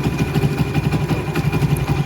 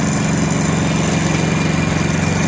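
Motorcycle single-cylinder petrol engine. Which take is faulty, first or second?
second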